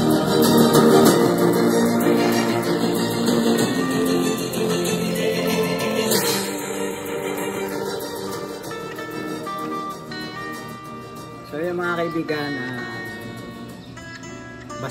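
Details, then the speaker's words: JBL Bluetooth speaker playing music before repair: harsh crackling rasp on louder notes, distorted "basag" sound from torn speaker cone edge, to be fixed with electrical tape. "Basag yung tunog ng ating Bluetooth speaker ah try nating ayusin no ah gamit lamang ang ah electrical tape no"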